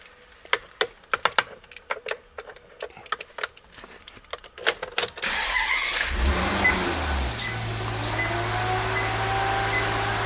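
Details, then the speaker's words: 2013 Maserati Quattroporte, 31K miles, engine started for a sound check. A few light clicks, then a quick crank and catch settling into a smooth, even idle with no knocks. Normal idle. "a nice sound. Engine runs real nice."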